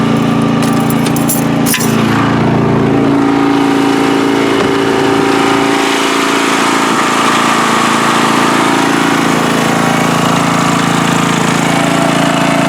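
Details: Free riding mower on a first start test after its gas tank was drained and fuel was added by hand amid flooding: the single-cylinder engine settles into a steady, even run after a brief stumble, with no misses or knocks, running normally.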